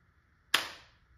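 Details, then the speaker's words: Valken M17 paintball marker with a slimmed AliExpress adjustable CO2 regulator (0-200/0-800 PSI) on 16 g CO2, 9.9 g balls: set screw turned in, the regulator clicks on with a single sharp snap and a short hiss as the bolt charges; normal. "so when this clicks on so you're going to hear the bolt charge when it clicks on"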